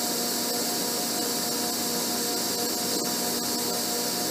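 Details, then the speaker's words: Broach bushing slot on an Abene mill, stepping over 0.034 in per side toward a 0.382 in width: even, steady high-pitched cutting hiss with no chatter or squeal; a clean, smooth cut. "cutting it just fine this way"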